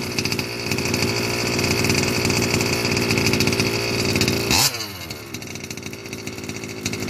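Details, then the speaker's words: Losi 5B TLR with OBR 34 two-stroke engine, first fire-up after bottom-end rebuild for a failed crank bearing: runs evenly with a clean rev blip, no rattle or grinding; noise seemingly gone. "girls I sound the bad noise that I had my car turned out to be a failed crank bearing stripped Amira completely rebuilt it this is my first fire up since I rebuilt the bottom half"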